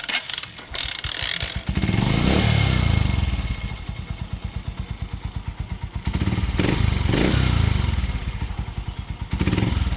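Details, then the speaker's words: Honda TMX 125 Alpha single, hard starting and noisy before tune-up: uneven idle with a loud, fast tapping about four a second over each beat; valve clearance too loose; excessive valve clearance. "Ayan guys ah bukod sa hard starting, malakas yung ng kanyang bulve."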